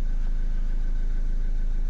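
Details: Renault Kangoo 1.5 dCi diesel, towed in not starting (owner blamed crankshaft sensor), after repair: steady idle with even, regular clatter and constant low rumble, no knocks or hunting; repair complete.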